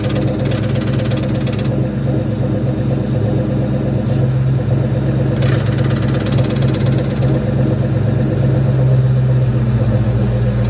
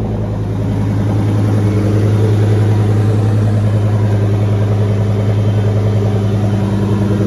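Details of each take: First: 2004 Mustang Mach 1, about 500 miles after a new clutch, throwout bearing, fork and pivot ball stud, shifting weird. Steady low idle with scraping rasps every few seconds: the stud backed out halfway, likely wrong length, so the clutch fork contacts the pressure plate. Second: 2004 Mustang Mach 1 after the transmission was pulled, the pivot ball stud refitted with lots of Loctite, the fork greased and fluid refilled. Even, low engine drone picking up smoothly, no chatter or bearing squeal: normal clutch operation.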